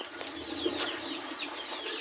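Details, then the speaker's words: Brastemp large-capacity washing machine (leaking oil and water) with worn tub bearings: rough scraping rustle with thin squeaky chirps as the basket is turned by hand after releasing the actuator spring. "gente tem um barulho muito forte isso quer dizer que os rolamentos estão danificado"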